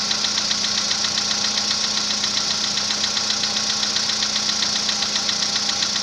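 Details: VW Polo Sedan built March 2014, 67,000 km, Liqui Moly oil; cold-start knock that began around 65,000 km. Sharp metallic ticking at about 2.5 per second over a steady idle; source not pinned down.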